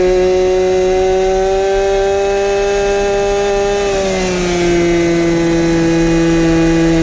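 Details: 1970s ARCO 3533 vintage mini bike, small two-stroke with no muffler, ridden flat out at about 10,000 rpm yet only about five mph: a steady, harsh, buzzy high-pitched scream that dips slightly under load, with heavy vibration.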